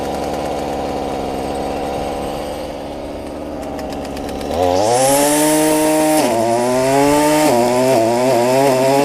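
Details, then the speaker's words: Stihl FS45 trimmer after a carb, fuel line and filter replacement, with no adjustment made, cold outside: it revs cleanly from a rough idle to a steady high buzz each time; runs great. "nothing here the oven here is running great and i haven't even adjusted it"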